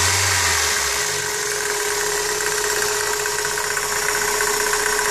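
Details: 1999 Toyota Corolla at idle: steady hum with faint uneven knocking, seemingly from the power steering pump pulley, which is tight; intermittent but becoming more frequent; owner suspects pump bearings or belt tensioner, unconfirmed.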